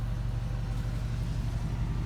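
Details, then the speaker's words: 2013 Ford Transit Connect idling in park or at a red light: steady low drone and buzz felt through the seat and water bottle in the cabin, RPM normal; worn engine mount, fixed by replacing passenger-side mount. "a bottle of water here so you guys can see that you can feel it on the seat too and you see that water vibrating so what I did to reduce that vibration is I'm thinking it's dismount"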